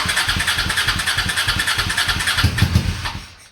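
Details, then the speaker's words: Honda Shadow V-twin motorcycle, parked 4 years, 20k miles on same oil, after overnight Seafoam/Berryman soak, full choke, booster box: about three sputtering weak firings a second then fades and stalls, starving for fuel; owner suspects weak fuel pump. "Give her all the choke. Yeah, she's starving for fuel. I think that fuel pump is weak."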